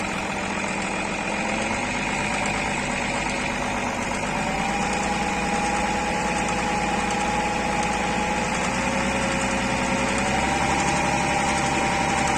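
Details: BMW E39 with M57 3.0 diesel; steady idle with an uneven, fairly quick tapping that comes and goes: intermittent engine knock, cause not pinned down.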